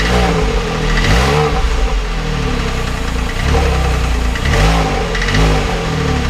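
Engine idling with a dull, repeating knock riding over the low rumble; the source isn't pinned down, so it's only a knocking symptom.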